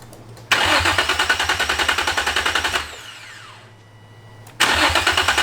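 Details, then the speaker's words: Infiniti G35 no-start: starter cranks the engine at a steady chug, about three and a half beats a second, twice without firing; no spark, caused by a disconnected ground wire. "devon was already here when i was trying to um you know trying to start up and we couldn't figure out what was going on with it"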